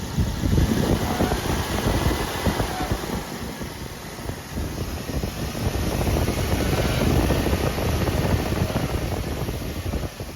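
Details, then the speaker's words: Running engine: rough, uneven rumbling churn under a faint whir from a failing belt tensioner pulley bearing, heard by pressing a screwdriver against the tensioner mount like a stethoscope. "have a listen to the end of the screwdriver you should be able to hear the failing bearing through the screwdriver like a stethoscope"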